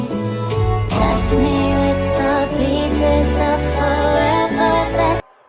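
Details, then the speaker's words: Sound Standard CA20 amplifier after repair, replaced faulty LM IC on rear panel board that caused a flapping noise: song plays loud and full, clear vocals, steady bass, no crackle, hum or distortion; healthy output. "देखिए दोस्तों sound एकदम ठीक और कुछ problem नहीं है amplifier एकदम ठीक हो गया है"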